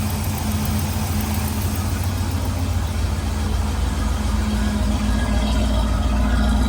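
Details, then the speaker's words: Big-block Camaro with forged pistons, first started after sitting since 2017: a deep, loud, lumpy burble at an even idle with no knocks; it sounds healthy. "mot sounds good got that Forge piston clu to it nice music to my ears"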